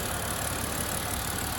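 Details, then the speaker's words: 2009 BMW Z4 E89 sDrive 2.3i (59 plate), six-speed manual, heard under the bonnet at idle after a clean start: smooth, even hiss-and-hum of a warm six with no ticks, knocks or uneven beats; normal idle. "um no funny noises starts beautifully in it one's rather quick"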